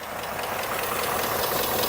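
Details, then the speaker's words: 2018 Ford F150 4x4 with the 5.0 Coyote V8, sold as having a bad engine, at idle with cooling fans running: light, fast ticking that is still present; a clogged, hissing PCV valve is suspected, unconfirmed. "Well, if these fans will ever shut up, then we'll be able to uh listen and see if this ticking noise has gone away. And just like clockwork. Nope."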